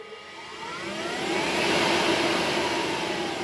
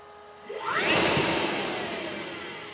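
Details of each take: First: HPEVS AC-50 electric motor on a 144V controller with the motor type set to 20 (AC-20): high whine sweeping with motor speed over the drive noise; whine persists with a motor type not matching the AC-50, controller had been configured for a Solectra AC24. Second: HPEVS AC-50 electric motor on a 144V controller, after changing the controller motor type setting from 24 to 50: quick rushing spin-up then slow coast-down, smooth with only a faint rising tone; more torque and the whine is gone.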